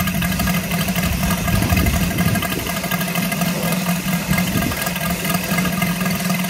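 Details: Saito FG-73 R5 gasoline engine, fully upgraded with MMM hardware and exhaust ring, 32:1 fuel mix, Biela 20x10 four-blade prop, 600-5500 RPM run-up; steady even low beat and constant buzz, running smooth and healthy.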